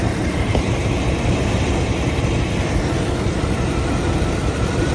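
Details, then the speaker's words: 2000 Chevy Tahoe Z71 petrol V8 with 188,000 miles and a brand-new alternator, heard under the vehicle near an exhaust leak: deep, slightly uneven idle with a mild shake; owner wonders about spark plugs, wires or motor mounts. "brand new alternator you can definitely hear the little Shake in it"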